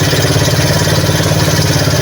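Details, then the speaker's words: RKS150 motorcycle damaged by an inexperienced rider, rebuilt with used piston and valves: a noisy single-cylinder idle with a steady rapping knock through the clatter, keeping pace with the engine. Caused by a damaged connecting rod. "Problema natin yun, yung ingay niya kasi may tama nga yung ano natin, connecting rod."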